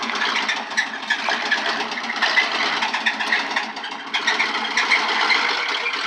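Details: 1996 Suburban 5.7 V8 running with hard, rapid metallic rod knock; blew up at 160k miles, low oil pressure, owner unsure if that caused it.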